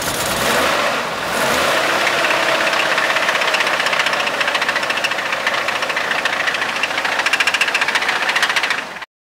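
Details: Nissan Skyline R31 RB30 six-cylinder at idle: a sharp, fairly quick ticking knock, about three or four per second. The owner is unsure whether it is a knock, tick or cracking, and the cause is unknown.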